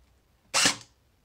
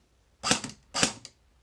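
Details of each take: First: Cyma M14 airsoft gun with its motor over-tightened: a single shot gives a harsh, hissy, grating burst instead of a clean cycle, as the gears grind; this can ruin gears, cut rate of fire and drain the battery. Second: Cyma M14 airsoft gearbox, test shots after adjusting motor height for proper alignment: two crisp single shots, each a clean snap with short mechanical tail, no grinding whine; normal gearbox cycle.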